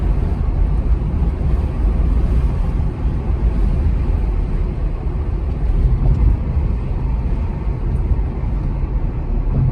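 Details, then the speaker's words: Heard from inside the car, constant low droning rumble from the rear tires, loud even around 15 mph, unchanged by side-to-side loading, sometimes louder decelerating, no knocks or grinding; wavy, cupped tread wear, not a bearing. "In this case, the tread on the tire is wavy, and that uneven wear is what's creating this constant rumble. So, while it may sound like a bearing at first, this is a classic example of tire noise."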